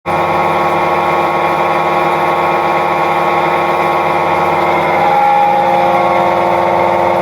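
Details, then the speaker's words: Samsung WF45R6100 front-load washer: loud, steady grinding roar with whirring as the drum spins, from worn drum bearings. "Hi YouTube, got a Samsung front load washer. It's got a really bad bearing noise."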